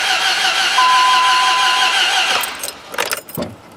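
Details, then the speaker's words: Dodge Ram 1500 with replacement 4.7 HO V8 from an 03/04 Jeep Grand Cherokee, first start after install: sluggish crank from a weak starter, catches with slight throttle, runs unevenly, then stalls within seconds; cause unknown. "i'll give it a little bit of throttle a little bit weird all right some weird going on not sure what"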